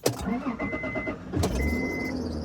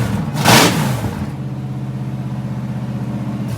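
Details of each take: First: Fox-body Ford Mustang started on a hot day, starting needs finesse with the key: engine cranks and catches, then a thin high squeak comes and goes over the idle; source of the squeal unknown. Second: A Ford Mustang foxbody 5.0 V8 starts and runs after a failed solenoid was swapped out; it previously would not start. A loud, raw, unsilenced V8 burble with steady firing pulses, then it shuts down. Normal running.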